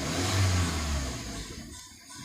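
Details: VW Vento petrol engine after fixing a fuel injector problem that caused misfire, check light gone and scan showing no DTC: clean even rise in revs falling back smoothly, no stumble or missing beat; normal revving.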